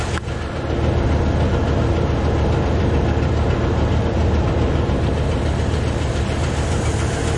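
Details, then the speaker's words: Truck idling after liquid treatment: deep uneven loping beat with irregular thumps, no smoke yet; mechanic diagnosed stuck valve, sound from left side, fuel pump tested fine. "I don't see any smoke coming out of the back yet it runs really"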